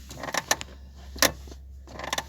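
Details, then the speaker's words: Lada Granta clutch pedal giving short, sharp squeaky creaks in bursts as it is pressed and released; squeak attributed to the pedal return spring, to be treated with WD-40. "до того неприятный просто слушать сил нету"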